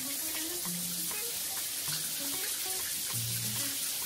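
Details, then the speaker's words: Lorenzetti Top Jet Turbo electronic shower after heating element replacement, water run before switching the breaker on to bleed air from the pipes: steady hiss of water rushing, no hum or crackle, normal. "você precisa ligar o registro de água e deixar correr a água no chuveiro se você não fizer isso pessoal aí deixa vai queimar"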